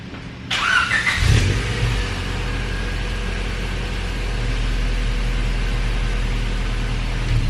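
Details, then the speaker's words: 2000 Honda Civic Si, heard from outside: quick crank, clean catch, then steady even idle with no knocks or misses; healthy start with a distinctive old Honda sound. "it's very nostalgic because it's got that old Honda sound it's got a distinctive sound"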